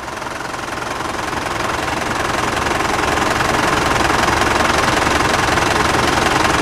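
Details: Steady, even diesel clatter at idle, regular rhythm, no misses or odd knocks. Engine treated with a quieting fluid additive; decibel meter readings fluctuated around 79–82 and dropped to about 74–76 when no one was talking. Normal idle.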